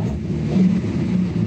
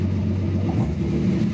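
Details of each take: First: Datsun 280Z on Speeduino, MAP-based acceleration enrichment values doubled: engine rumbles up on a quick blip but bogs and misses instead of picking up cleanly, hesitation and misfire on tip-in from over-rich acceleration enrichment. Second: Datsun 280Z on Speeduino after setting MAP-based acceleration enrichment: engine snaps up quickly on each throttle blip and drops back cleanly, no bog or stumble; clean throttle response.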